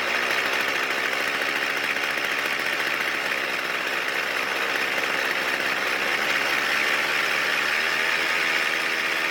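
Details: Poulan Pro pole saw engine, previously seized and submerged, damaged flywheel key: fast thin running with a loose, gravelly marble-like rattle; internal rattle, bearing damage from water suspected, unconfirmed.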